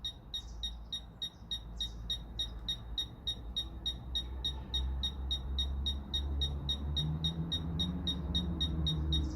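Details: Fisher F-Pulse pinpointer in an air test: crisp high beeps about three a second that get faster as the target gets closer; detecting normally.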